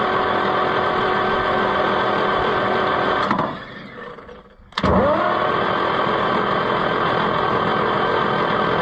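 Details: Oliver 1355 tractor engine, previously stuck, spun with the starter after freeing and lubing: steady cranking, a short pause, then even turning again with no binding or knocking; engine now rotates freely.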